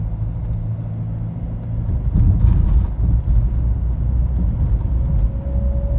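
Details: BMW X3 E83 driving: faint thin whine rises above road rumble only between about 45 and 50 km/h, speed-related, not wind or air conditioning; source unknown.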